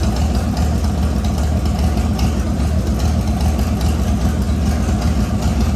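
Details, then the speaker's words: LS V8-swapped S197 on its first start after a rebuild with new crank bearings and assembly lube, no coolant yet: a loud, lumpy V8 idle with a choppy cam rhythm but a steady beat and no knocks or misses. Running well, rpm settling as the motor learns to idle. "so as you can hear sounds really good obviously when the rpm died down a bit it's when the motor started trying to learn how to run itself and what not"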